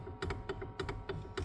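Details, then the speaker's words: 1979 Mercedes-Benz W116 280SEL with clunky, loose steering: sharp hollow paired clunks as the wheel is worked, from the worn steering coupling between power steering box and steering shaft; its bushing has completely disintegrated; fixed by replacing the coupling. "And you can see see it sitting between the power steering box and the steering shaft of the steering wheel. And you can hear that clunking away now."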